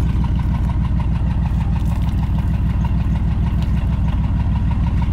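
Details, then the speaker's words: Chevy S10 engine at rough idle with a steady knock about three per second tapping over the low engine note; cause unknown. "this thing's gonna need a little bit of help honestly if it's gonna do anything or you can't hear the knock no more"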